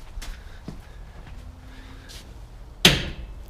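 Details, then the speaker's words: 2003 Toyota Tacoma rear e-locker diff lock actuator after rebuild and reinstallation, ignition on, wheel turned slightly: one sharp clunk as the locker engages, indicator goes solid, rear axle confirmed locked. "there you go you can hear it lock into place see that the light is solid now indicating that the diff lock is engaged"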